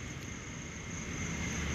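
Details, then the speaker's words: Mahindra Bolero pickup diesel that wouldn't start with blinking check engine light, after key coding and clearing faults (scanner shows no DTC): steady, even idle with faint constant high whine, no misses or knocks. "చూడండి friends, engine కూడా తిరుగుతూ ఉంది. చూడండి, ఇప్పుడు బండి problem అనేది clear అయింది."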